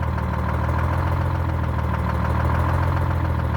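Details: Detroit Diesel 6-71 two-stroke in an International Harvester truck: deep, even rumble at a steady idle with no misses or knocks; normal idle.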